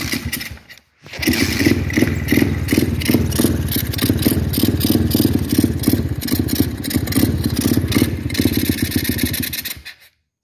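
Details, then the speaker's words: Apollo RFC Z20 Max pit bike, 125cc engine, cold start on choke: catches and runs roughly with uneven stumbling firing for about nine seconds, then dies; owner addresses it by checking valve clearance. "that's no choking it just wants to die um right away just wants to not be running anymore so"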